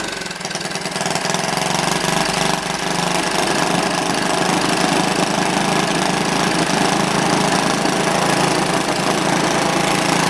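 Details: Old, worn Clinton B700-series (B704) single-cylinder engine, possibly from a rototiller, after carb clean, choke on, no air filter fitted: steady, even, fast beat with no misses or surging; runs normally, a little smoky.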